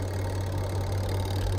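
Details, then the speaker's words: Twin-tub washing machine spin dryer motor, motor and capacitor already good, running after the faulty switch linking it to the door switch was repositioned: steady, even low hum with no knocks, scraping or wobble; spin motor healthy. "Well, friends, you can see that the dryer is working again"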